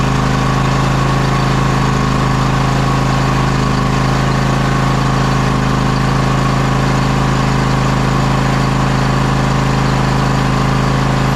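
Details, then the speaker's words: John Deere X540 with Kawasaki FD731V-HS02 V-twin, which died after 15–20 minutes, running on the table after fuel delivery fix and ultrasonic carburetor cleaning: steady, deep, even drone, no surging or dying; normal running. "after I get this thing fired up we're going to let it run for about a half an hour or however long it takes and see if we can't get it to shut off right here on the table"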